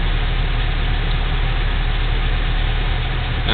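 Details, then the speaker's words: 1987 Toyota 4Runner SR5, 22RE, 5-speed, R12 A/C on with compressor clutch engaged after replacing the A/C idle-up VSV: steady, even low rumble without dips or hunting; idle-up holds speed instead of dropping to about 500 rpm; normal. "this helps to have it idle up when you uh have the compressor compressing because and the clutch engaged and all that because you know otherwise you're idling down to like 500"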